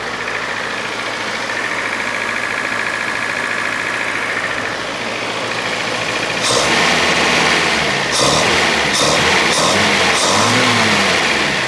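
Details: Datsun 510 after twin SU carb repair, started on jump pack: settled, even idle, then several quick throttle blips rising sharply and dropping straight back; carburation sounds healthy.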